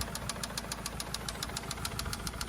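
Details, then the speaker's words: 2004 Toyota Camry stranded during errands: sharp regular ticking knock about six to seven per second over rough idle; owner suspects a spun rod bearing or possibly a top-end problem, not confirmed. "sounds, it's either a spun rod bearing or else getting loose here. It's hard to tell because I've got like AirPods in here, but definitely something's not happening. It sounds like a top end here now though."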